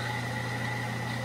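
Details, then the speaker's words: ILG Model 123-XQ explosion-proof fan, 1/20 HP 115 V 1.6 A 1725 RPM motor with centrifugal switch, initial run, tilted sideways to cut wind noise: steady even hum and whirr, no knocks, rubbing or wobble; runs smoothly. "i have the fan tilted to the side a little bit so shouldn't hear as much wind noise and just hear more of what the fan sounds like so here we go"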